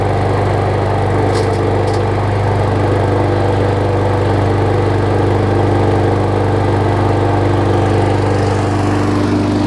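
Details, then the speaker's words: John Deere JS25 mower, engine dated May 2008, after a new flywheel key, an oil overfill fix and a new spark plug, started with the auto choke: steady, even running with no misses, knocks or surging. "Good. That's the auto choke. It started on the first pull."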